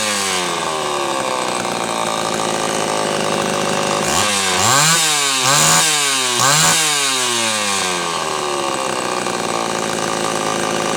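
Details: Homelite Super XL chainsaw after repair of a loose cylinder nut (cylinder gasket issue) and filed, gapped points. It holds a crisp high scream, bogs smoothly into three quick cuts and recovers cleanly each time: normal running under load, being retuned from slightly lean.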